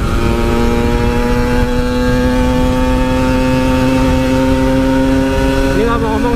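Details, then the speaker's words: Yamaha RX King two-stroke, riding after repair of stuttering at high rpm under way: smooth note holds steady then climbs, no stutter, no rev limit at the top; healthy acceleration. "guys udah enggak ada brebetnya lagi di atas enggak ada limit-limit lagi semoga eh enggak kambuh-kambuh lagi penyakitnya"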